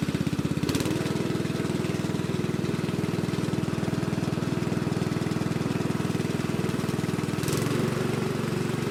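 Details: Lesko walk-behind leaf blower from a curb find, swapped to a Predator single-cylinder engine, first start: fires steadily about three beats a second, holding speed evenly without misses; running healthy.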